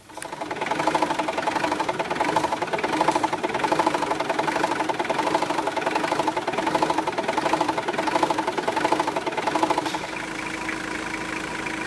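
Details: Mitsubishi L200/Triton 2.5 turbo diesel 4D56T, back in the workshop after a road test following an erratic idle repair: even, steady diesel idle clatter with no misfire or hunting.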